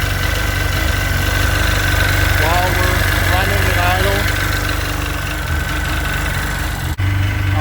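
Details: Sea-Doo 951 DI two-stroke after custom rebuild, idling with air pressure at a steady 80 psi and fuel pressure near the 107 psi target; steady, even idle with a constant deep beat, no stumbles or dropouts; normal, smooth running.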